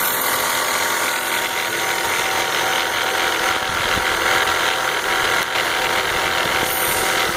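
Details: BMW 325xi E46 at idle: busy, fast, uneven metallic rattle over a steady idle, unchanged when the DISA is unplugged; engine rattle, source not yet found.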